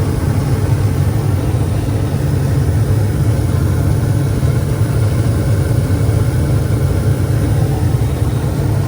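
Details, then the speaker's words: Attic gas furnace started by touching red to white thermostat wires, fan coming on after a click: steady, even low rumble and airflow, no knocks or scraping; blower running smoothly and sounding normal. "this is everything normal and it's running good"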